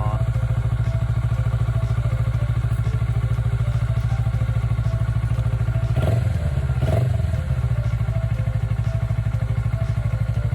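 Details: Kawasaki Ninja 400R 400cc (registered 2013, 7 years old), started after about 3 months unused despite feared flat battery; steady even idle pulse, no misses or knocking, a couple of brief handling thumps: normal idle.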